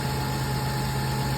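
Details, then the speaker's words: 2002 Toyota Tundra 3.4 5VZ-FE V6 with an intermittent misfire for 1.5 years, after replacing 22-year-old seized plugs and thread-sleeving cylinder 2: steady, even low idle with no skips; misfire gone. "let's fire up come on baby don't miss this thing's been missing on and off for a year and [Music] half birs like a [Music] kid look at that just need a freaking spark clug"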